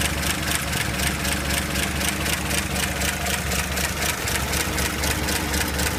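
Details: 235 inline-six idling after a carb rebuild, new coil, plugs and wires, valve cover off: uneven, loping idle with a crisp tick about four times a second; owner suspects a leaky head gasket, not confirmed.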